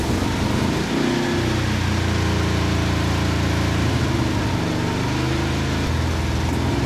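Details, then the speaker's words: 1971 Plymouth Satellite 318 V8 with a shelf Thermoquad carburetor just fitted: picks up crisply on each blip and settles back with no stumble or hesitation. The accelerator pump works and throttle response is healthy. "Thermoquad sounds pretty good. The accelerator pump works, which is always a plus. Snappy."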